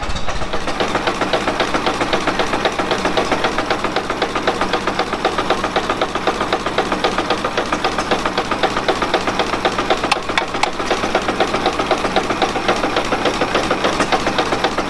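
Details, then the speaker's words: Ford Model T running on the magneto shows a sharp, regular rod knock hammering through a rough idle. Cancelling spark points to probably cylinder two; the oil pan is to come off. "yeah it's got a pretty good little rod knock so we're gonna have to pull the pan down"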